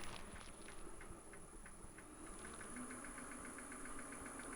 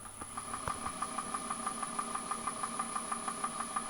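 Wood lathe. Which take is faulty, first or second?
second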